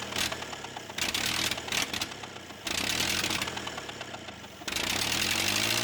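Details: Ford 8N tractor project, temporarily run to assess engine and three-point hydraulics: old four-cylinder putting along at steady idle with uneven pulse and exhaust chuff; runs healthy overall, hydraulics hold.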